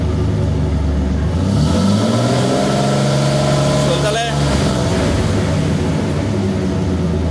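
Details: GMC Jimmy (same as Blazer/S-10) with 4.3 Vortec V6, owner reports strong vibration, high fuel use and fuel smell; revs snapped to about 3000 rpm and back at the exhaust, uneven and lumpy as it climbs, running rich with excess fuel.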